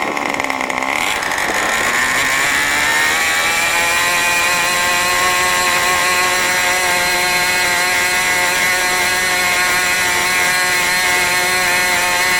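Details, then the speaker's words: New OS 40 FSR model engine, second tank of fuel during break-in: a screaming high-pitched buzz climbs quickly, then holds steady at very high rpm, higher than the owner wanted. The needle settings are not yet adjusted. "okay so that was the second run second tank of fuel through this engine obviously you can see I let it get a little bit higher rpm this time actually a little bit higher than I wanted"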